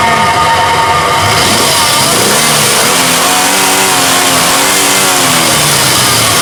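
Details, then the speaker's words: 2000 Nissan Xterra 3.3L V6 after crank-no-start ignition circuit troubleshooting and ignition timing set; loud, even firing as revs climb and fall smoothly, no misfire, stumble or knock; runs normally. "But now we have our ignition timing set and um works and the vehicle runs like it should."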